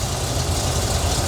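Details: 1977 C3 Corvette with a 383 stroker small block, cold start: deep steady burble with an even beat and no tapping or knocking; factory gauge read 20 psi but mechanical gauge shows 60, so only the sending unit is faulty.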